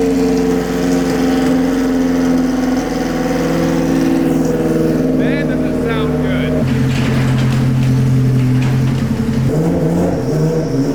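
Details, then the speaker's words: Cold start into a steady high idle with a smooth, even exhaust note, then settling and shut down. Healthy. "But here's a little cold start for you boys. Ignition"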